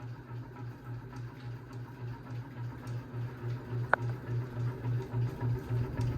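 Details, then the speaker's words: 52-inch unknown-brand bronze hugger ceiling fan: loud low hum swelling about three times a second with a sharp tick; wobbling, barely moves air; cause unconfirmed. "I'm definitely taking this fan down. This is the loudest fan this is the loudest and possibly the wobbliest fan we own."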